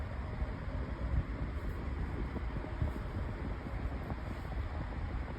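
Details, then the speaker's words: Lasko 18-inch table fan with a 16-inch Optimus blade, switched from high to medium speed: a soft, steady low whoosh with no ticking, rubbing or wobble. Normal fan operation. "So, there's high. This is medium. Still blowing a pretty good breeze."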